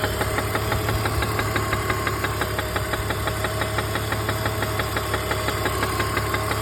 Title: E46 330 engine knock/tap/rattle